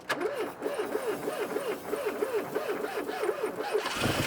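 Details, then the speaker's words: Fiat Croma Turbo dormant over six years, likely stale fuel, cranking with even rapid chirp then catching and starting; cold engine needs warming to clear itself. Engine starting after long storage. "oh my God oh my God it started go on oh my God it sounds good oh my God it sounds so good"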